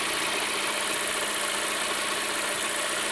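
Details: Lada Kalina 16-valve after cleaning the oil pickup and replacing its seal ring with the sump off, to cure hydraulic lifter knock: even, steady idle with a smooth hiss and no valvetrain tapping; normal idle, owner expects lifters to finish pumping up.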